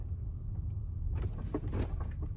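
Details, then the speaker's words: Tesla driver-side front suspension, in-cabin with window closed: low road rumble then dull knock-knock clunks over slow speed bumps, intermittent for a year, now constant; owner suspects something loose. "it's a clunking sound again over low speed bumps knock knock here's a speed bump knock"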